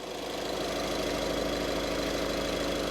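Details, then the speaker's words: 2013 VW Caddy 1.6 diesel starting after a fuel filter change with the housing filled with diesel: fires up and settles into an even idle clatter with no misfire, hunting or stumble; runs normally. "It might take a little bit of cranking over if you've got a bit of air in there. But that sounds pretty good."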